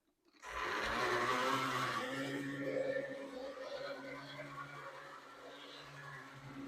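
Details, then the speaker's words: Vintage HO scale Aerotrain locomotive, bought as untested project, on track power: harsh buzzing whir starting loud then settling to a weaker drone as it crawls; very loud, slow motor that needs work but runs. "So, obviously that model is very loud and pretty slow. It'll need some work, but shockingly it runs."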